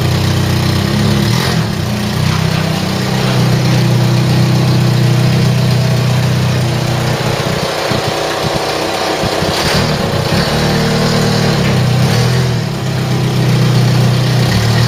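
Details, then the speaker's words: Ford Mk3 Cortina four-cylinder, sat in a field since 1983, restarted after points filed and petrol pumped through: fairly even idle with small throttle blips, no knocks or misses, normal running. "and it started clock sprung into life the car does not want to die and tell you that much listen to this for a motor"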